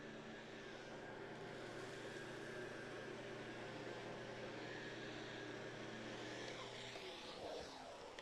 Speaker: And yeah, so now can you hear the central vac hum in the background of this video?